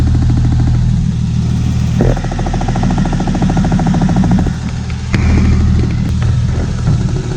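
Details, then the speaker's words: Idling engine with a fast, light ticking, sharper when heard up close at the injector rail. The owner, using a screwdriver on the left side, suspects the fuel pressure regulator but is unsure whether the noise comes from the whole injector line. "du coup je pense que c'est cette pièce là ok le bruit n'est vraiment pas dit s'il vient vraiment de toute la ligne les injecteurs"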